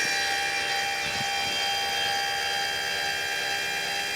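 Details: Eco-Worthy solar sun tracker actuator, no panels fitted, travelling from full west to full east (about 30-34 seconds) during setup timing: steady high motor whine with constant pitch and even level, no grinding or clicking; normal operation.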